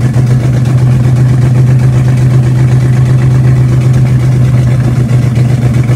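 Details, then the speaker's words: Car "Betsy" just after camshaft break-in with fresh fluids, idle timing set and carb still being tuned: low, lumpy idle with an uneven beat that never settles; rough idle, owner suspects a vacuum leak but is unsure. "unfortunately today we tried to start the car and it's just not running right"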